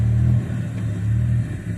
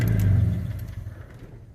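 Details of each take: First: Old Ford with a Weber carburetor swapped on via an adapter in place of a one-barrel YFA, timing backed off to zero after detonation, warmed up: a deep steady rumble at a fast idle (stated 12,200). High idle from air leaking past the carburetor base gasket. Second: Old Ford with a Weber carburetor on an adapter and timing retarded, at operating temperature (gauge reads 210, about 185 actual): low steady idle, then switched off and dies within a second with no coughing or run-on. Clean shutdown.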